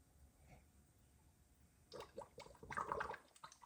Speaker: All right, you hear that gurgling? That's where she was starting to airlock.